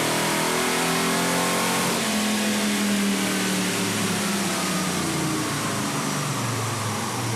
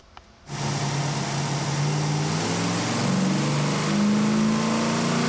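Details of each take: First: V8 sport truck (Chevy 454 SS or Ford Lightning) at full throttle on a chassis dyno after replacing a plug wire that burned on the exhaust and arced: clean, healthy pull on all eight, about 318 hp and 351 lb-ft at the wheels. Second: Chevy 454 SS or Ford Lightning sport truck on a chassis dyno at wide-open throttle: V8 note climbs steadily, then turns ragged near 5,000 rpm as if a spark is dropping; mixture was lean up top and more fuel was added at 5,000 rpm.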